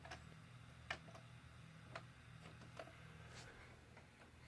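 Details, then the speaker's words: Hitachi VCR UX625 with tape loaded, powered off: quiet motor hum with scattered clicks as the head keeps turning and tape tries to rewind by itself; controls have no effect, mechanism cycling on its own despite cleaned rotary encoder. "power shut it off got a snowy screen and the head is still turning and every once in a while you hear the tape try to rewind or something"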